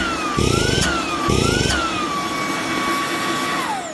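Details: Ryobi PBLSV717 18V brushless stick vacuum after fixing lost suction by replacing gaskets, filter refitted, 4Ah battery: steady high motor whine with strong even airflow, pitch dipping slightly; good suction restored.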